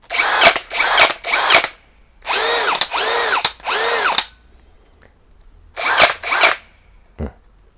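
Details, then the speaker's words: Teccpo brushless hammer drill (60 Nm TDHD02P or 70 Nm BDH 360B): short high whirring bursts that drop in pitch on trigger release, with a quick rattle, only in second gear. Normal spindle-lock clatter. "ce bruit d'engrenages qu'il fait quand on lâche, et seulement en deuxième vitesse, car en première vitesse ce n'est pas le cas, est dû au blocage de la broche."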